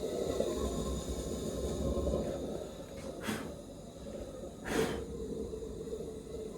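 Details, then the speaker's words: Maxitrak 1.5" Allchin live-steam model, gas-fired, first steaming after overgassing: steady gas hiss broken by sharp irregular spits a second apart; burner spitting as excess gas runs out. "you can hear our theater is spitting give that a few seconds just to run out of here"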